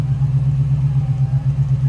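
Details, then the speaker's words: 1971 Plymouth Barracuda resto-mod, 6.1 Hemi V8, fuel injection with modified factory ECU, mild cam, dual rear-dump exhaust, heard at the tailpipes with electric fuel pump audible: deep, even, steady idle burble, no misses or knocks; healthy. "And no crazy cam, no crazy exhaust, just very, very nice sounding."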